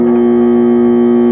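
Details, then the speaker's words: Condura aircon plugged in and switched on gives only a steady electrical hum, no fan or compressor coming up to speed; technician checks the capacitor first: motor hums but will not start. ">> Umuong lang siya. Ayan nagha-haming. Ganyan lang siya."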